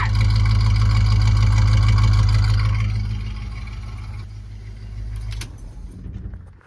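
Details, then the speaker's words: Cheap GM squarebody truck V8, run briefly before warming up, cooling issues pending: deep even rumble with steady firing beat, no knocks or misses, then switched off and winds down; sounds good. "Wow, you guys, huh? What do you think? It sounds good."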